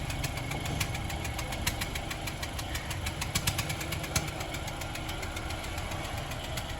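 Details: Honda Civic engine at rough idle with sharp metallic ticks tapping irregularly, several per second; engine knocking, source not pinned down.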